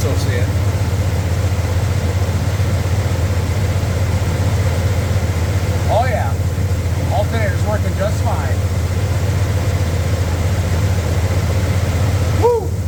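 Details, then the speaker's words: 1993 Dodge D150 engine idling, first start since April after mouse evidence and a dead battery: steady, smooth low hum with no knocks, ticks or squeals; running healthy. "Now, just listen to that thing. Tell me if you hear anything weird on it. I think it sounds great."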